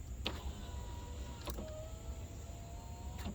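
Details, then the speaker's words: 2011 GMC Sierra 1500 SLE power window after cleaning and working the original switch: short steady motor whir with clunks at start and stop, smooth travel; motor works normally, earlier windows wouldn't move. "It's much better now. You know, these things weren't moving at all earlier today."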